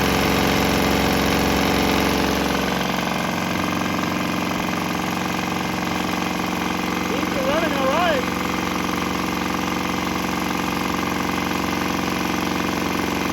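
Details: Swan X 165F Chinese single-cylinder diesel on a shipping crate, vibrating heavily, running on used canola fryer oil, throttle on start setting; steady even thump about three beats a second, no misfire; normal running.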